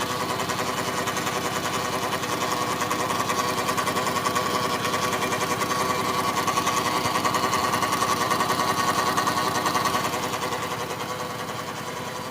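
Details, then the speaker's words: 2013 Dodge Grand Caravan: weird fast, even ticking clatter about three per second over a steady hum with a thin tone near 1 kHz, heard on top of the transmission/engine area; owner ruled out the serpentine belt, source unknown. "I'm having a problem with my 2013 Dodge Grand Caravan making this weird noise right on top of worthy and the transmission and engine"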